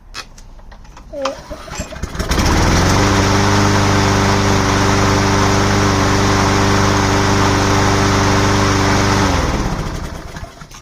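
Catches after a couple of pulls, then settles into a steady, even run at constant speed before shutting down cleanly; sounds healthy.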